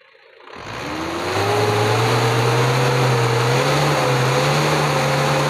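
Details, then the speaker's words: Diesel with distributor-type Bosch injection pump after regulating valve failure repair and timing adjustment, in neutral: fires and climbs smoothly in revs, holds a steady even tone without stalling on throttle release; normal revving. "Kita lepas sekaligus gasnya teman-teman. Alhamdulillah sekarang sudah normal kembali ya, nggak mati ya."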